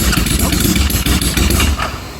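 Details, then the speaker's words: Homemade supercharged, fuel-injected Kawasaki Z1000 on an old aftermarket ECU, after a revised cold-start water-temperature compensation map and a starter clutch damper fix: ragged cranking that is just beginning to fire; fuel rail suspected under-primed. "I thought initially I thought it was worse cuz it was spinning over and not firing but now it is it it's starting to fire so maybe the fuel rail isn't primed as much as I thought it was"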